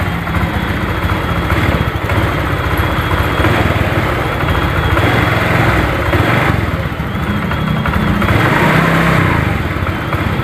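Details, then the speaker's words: Honda Vario 125 scooter, fuel pump pressure 30 against normal 42; engine hunts and surges unevenly at idle and under throttle, stumbling and hesitating; injector suspected clogged; recently serviced with tank cleaned, fuel and spark plug replaced. "Coba tuh goyang-goyang berarti ini coba gas digas coba digas nelat-nelat ini tuh suaranya"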